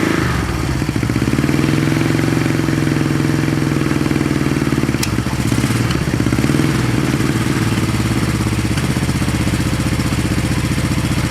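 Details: 1970 Honda SL350 first start attempt after work, gas put down spark plug holes, one carburetor leaking fuel: even, steady putter with smooth low beat and no knocks or misses settling into healthy idle.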